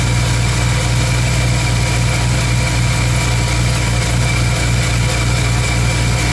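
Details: 1985 Ford F-150 302 V8 with new copper header gaskets replacing repeatedly burnt paper/metal ones, plus new header wrap: deep, even idle with a steady rumble and no ticking or puffing from the headers, running healthy.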